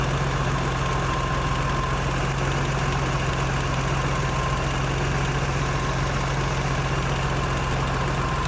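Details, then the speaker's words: BMW 325i E30, M20 six-cylinder, fully cold idle before valve adjustment: fast, light ticking over a steady low hum, heard on both sides; valve clearances out and need adjusting. "pour vous entendez le bruit aussi de l'autre côté"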